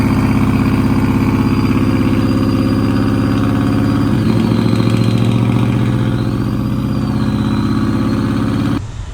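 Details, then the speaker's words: 2002 Silverado with completed LS engine build at idle: thin wavering high whistle over steady V8 idle, suspected tied to throttle body (Holley Sniper did not work on this setup); cause not confirmed. "And it sounds like the truck has a blower or just a random whistle that has to do with the throttle body."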